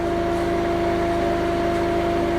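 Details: Newly installed auto-start diesel generator at an off-grid house, running and charging the battery system: steady, even drone with a firm low hum, no misses or knocks; normal running under charging load.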